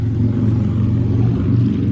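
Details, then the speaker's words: Goodman air conditioner with an R410a leak: outdoor condenser fan back on after switching the thermostat to cool, thermostat click heard; even deep droning hum with no knocks or squeal, running normally. "Fan's back on. I heard the thermostats click when we went back to cool."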